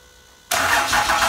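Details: 5.9L Cummins common rail run on the shop floor on a stand-alone harness, with the block-mounted ECM powering the fuel pump. It catches instantly and settles into a steady, even clatter. Normal start.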